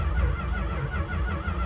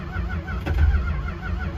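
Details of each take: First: 1964 Chrysler New Yorker, parked just over two years, first crank with a battery fitted: quick, even, strong cranking with no drag or clatter, sounding healthy; it later sputtered but would not start, with the cap and wires suspected. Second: 1964 Chrysler New Yorker, parked over two years, cranking with quick start sprayed in: uneven cranking with weak, scattered catches that never take hold, sputtering. No-start attributed to fouled spark plugs; the owner also suspects the cap, the wires and a dirty carb.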